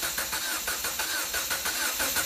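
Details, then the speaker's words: 2015 Jeep Patriot with P0304 hard misfire on cylinder 4 that stayed after a coil swap, clear-flood crank with throttle floored: uneven lopsided cranking tone suspected dead hole; compression test next. "So you can hear that odd tone. To me, it sounds like it's a dead hole."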